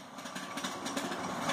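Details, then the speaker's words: 1903 Century 2 hp single-phase induction motor wired for 110 V, winding down after switch-off: hum with a light, uneven rattle; suspected rear bearing or the start switch mechanism. "is a little rattle in the bearing in the back or whatever kicks it in and out that has a little rattle to it when its winding down"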